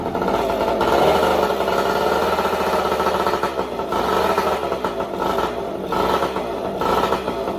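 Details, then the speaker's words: 1972 Yamaha LT2 100cc two-stroke enduro, matching numbers, just started on fresh fuel with light throttle blips, a bit smoky (possibly old fuel in crankcase or air leak): crisp even crackle, no knocks or rattles; runs healthy, no nasty noises. "no nasty noises so that will be an easy easy bike"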